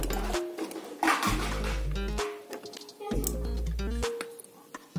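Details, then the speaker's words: Small Hafidz children's speaker after contact-cleaner and thinner cleaning of loose/dirty parts, fixing weak crackly sound: music plays cleanly with no crackle or dropouts; repaired, normal output. "Langsung Tidak ada suara kemerosok supaya kita tambah pintar Oke sudah bersih suaranya"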